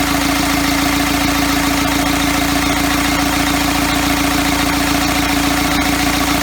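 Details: First start of a first-ever diesel engine build on custom motor mounts, at night, needing extra fuel: slow, heavy idle with a fast steady knock about three and a half beats a second and a humming tone; idle way too low.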